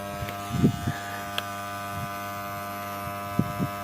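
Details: TD-500 welding transformer after winter storage: large no-load current, loud steady deep hum with buzzy edge and stray clicks; clamping angles heating past 100 °C.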